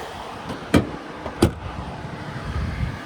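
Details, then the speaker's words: Delante convertible being restored: low steady idle hum with a couple of sharp handling knocks on top; one cooling fan on, the other has never worked; engine runs smooth, even and healthy. "Otherwise, it sounds good. It's running good. Sounds good."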